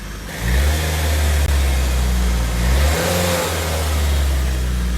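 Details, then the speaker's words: Nissan S13 with freshly rebuilt SR20 engine (Infiniti G20 crank, new gaskets and seals) after first start: picks up cleanly from idle on blips and settles back smoothly, no knocks, rattles or misfires; running good. "running good nice and smooth"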